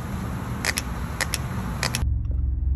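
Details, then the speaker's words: New EVAP switching valve for a 2016 Ford F-150 with code P2450 (old valve stuck open), powered on the bench: crisp paired clicks about every 0.6 seconds as it snaps open and shut cleanly, the normal sound of a good valve. "I'm gonna apply power to the good new valve listen how it's supposed to sound when you apply power to it"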